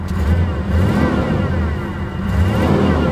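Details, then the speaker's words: 1987 Chevrolet Monte Carlo SS V8, one-owner car parked 20-25 years, likely stock exhaust with factory catalytic converter; deep, even rumble rising and falling smoothly with throttle, no knocks or misses; engine sounds healthy. "It sounds healthy."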